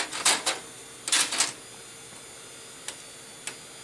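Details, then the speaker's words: Old PC found near a rubbish bin, drive tray opened: the CD/optical drive makes loud clusters of sharp rattling clicks and lone ticks while seeking and spinning up. "Elle fait du bruit ce CD. Beaucoup de bruit."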